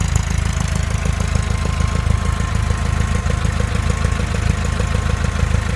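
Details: VW Type 4 engine, warm: steady idle with a light knock about three times a second, random, only when warm, disappearing above idle; worn cam thrust bearing, solved by replacing it.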